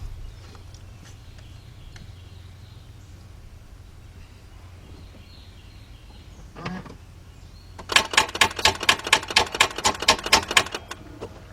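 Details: 2004 Mercedes-Benz C320 3.2 that stalled while driving, now no crank, battery 11.9 V dropping to about 10 V on start attempt: fast sharp clicking about two a second, no cranking.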